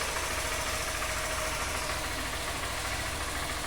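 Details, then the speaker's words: 2020 Honda Fan 160 motorcycle running after repair: loose camshaft addressed, very dirty oil replaced; even, steady beat with no rattle or knock, the engine noise has disappeared. "aí galera nada de barulho troquei o óleo tava muito feio aí a gente trocou o óleo de novo é o barulho sumiu"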